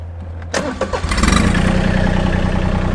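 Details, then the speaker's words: Massey Ferguson GC1723e sub-compact tractor diesel, started before PTO use: brief starter churn, catches within a second, settles into even, steady idle; normal, healthy diesel start and idle. "so what we're going to be doing is just using this one so i'm going to go ahead and crank it up"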